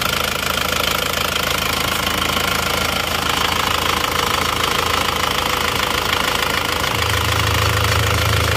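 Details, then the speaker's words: Isuzu Panther diesel after new rings and liner work, hot after a 5 km road test: steady idle clatter at about three beats a second that settles smoother; engine sounds fine with no smoke. "Oke sudah kita tes di jalan 5 km kalau panas asapnya seperti ini suara mesin cek kelihatan sudah oke ya teman-teman Ya sudah Oke Enggak ngasap"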